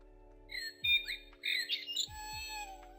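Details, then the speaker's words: Clock with batteries put back in after having an issue: ticking, then clear, complete bird calls and chirps over a faint low hum; the bird chime is working normally. "it's working. We've got all of the bird sounds."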